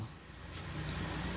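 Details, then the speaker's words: Electric fan that hummed and would not spin unless pushed by hand, after replacing worn front and rear shaft bushings: steady, even low hum, blades spin freely with no scraping or labouring; running normally. "bisa berputar dan sudah bisa normal"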